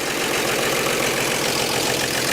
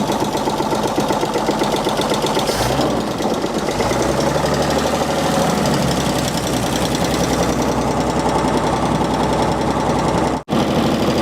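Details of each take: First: Revived 1948 Chevy inline petrol engine idled down, run briefly with no coolant or radiator hooked up: steady, even idle with a fine busy patter and no knocks or misses, running like a sewing machine. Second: 1948 Chevy abandoned 58 years, first runs with no oil seen reaching the top: old inline engine idles with busy clatter and a dull uneven knock underneath; owners unsure if it is a rod knock.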